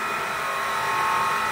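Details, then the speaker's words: Grundfos JPF/JDF series well pump, about 400 W, installed nearly 20 years ago: very loud steady whir with a high ringing whine on top, no load changes; worn bearings, to be dismantled and replaced. "dan sekarang suaranya keras sekali ini akan saya bongkar untuk mengganti wafernya"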